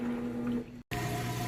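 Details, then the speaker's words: Whirlpool HE top-load washer draining after a wash cycle: steady low electric hum with water rushing through, even and uninterrupted; normal drain pump operation. "it started draining the water out. You can hear it draining nice and fast."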